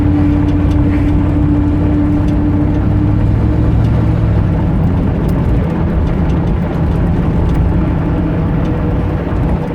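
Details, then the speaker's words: 1989 Dodge Ramcharger: a steady high squeal over the engine at a held throttle position, sometimes at idle when stopped, fading when the throttle is released. It chirps when powering through and when the key is turned off. Source not found. "When I stop and still idling, it'll do it sometimes. Hold this throttle position, it'll do it. Let off the throttle."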